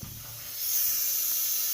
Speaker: it's got a belt inside that is tracked by air so if you hear it you'll hear a little bit of hissing and that is air passing by a sensor that reads the belt as it tracks